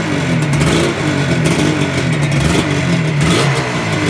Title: 1985 RD350 ypvs start up after rebuild